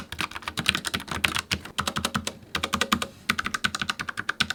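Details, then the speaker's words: Typing on a Logitech MX Mechanical keyboard with Tactile Brown switches: fast, irregular keystrokes with soft muted clicks and a light bottoming thud, no sharp click. It has a tactile bump but is much quieter than Clicky Blue. Normal. "The brown ones still offer that tactile bump as you make every keystroke, and you feel the bottom out of the key as well, but they have a much quieter clicking sound."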